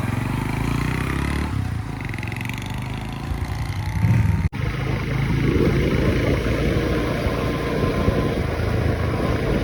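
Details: Honda CD100 SS after full strip-down restoration, road test ride: single-cylinder engine pulls through with a steady, even beat, no knocks or rattles; sounds healthy on the road.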